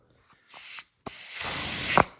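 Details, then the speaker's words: Rebuilt GM TH400 transmission being air-checked on the bench: two sharp bursts of compressed air with no rattle or leak-down whistle, as the clutch piston applies and the clutches hold tight. Normal clutch piston apply on air check. "Apply air. No rattling around. She's nice and tight cuz the clutches are applied."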